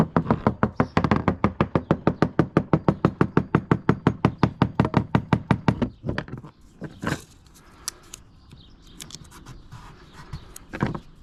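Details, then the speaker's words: Tapping the deck of a free Halcyon 23 fiberglass sailboat near a screw: even taps about three a second sound dull, deadened thud, yet no squish or give underfoot; owner suspects water entering via screw into core, not confirmed, may backfill with thickened epoxy. "Underfoot, it doesn't squish or anything. It's not giving under the pressure of my heels, but it's definitely got a thud to it. So I'm not incredibly worried about it."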